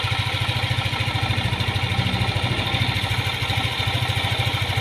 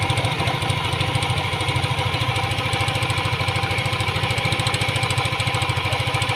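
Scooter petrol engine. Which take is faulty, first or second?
second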